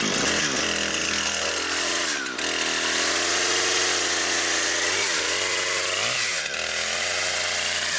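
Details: Brand-new Husqvarna 460 Rancher chainsaw, first run, cutting wood. High buzzing note dips under load in the cut and recovers cleanly, with no bogging or stalling. Healthy saw cutting normally.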